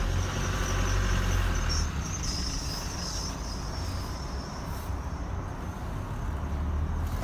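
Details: 2016 Chevy Colorado, 7k miles, high wavering squeak at crawling speed around 5 mph, with or without brakes, gone when stopped or above 10 mph; traced to where the driveline enters the transfer case.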